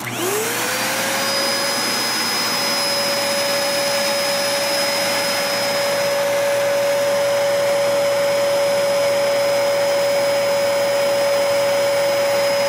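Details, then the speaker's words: Cheapest Dyson upright vacuum running, measured at 70–90 dB depending on distance: motor spins up within a second to a steady, even high whine with airflow hiss, no rattle or grinding, running healthy. "So even when I give the Dyson the grace and I go over here to the desk, even when I do that, it was still in the 70s."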